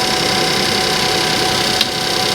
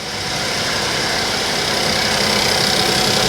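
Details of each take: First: Suzuki Vitara salvage car idling on a ramp; smooth even idle with fine steady patter, no knocks or misses. Engine sounds fine. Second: Suzuki Vitara that starts after an ECU change: an uneven, lumpy idle with an irregular stumble, as if one cylinder is missing. The cause is unknown, and the owner suspects sabotage by a previous owner.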